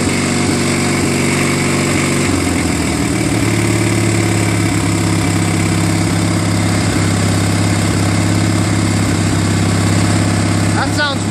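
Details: Murray Ultra garden tractor opposed twin, which ran rough and backfired, after carburetor overhaul, magneto replacement and new spark plugs: settles into a smooth, even idle with no misses or popping; running properly now.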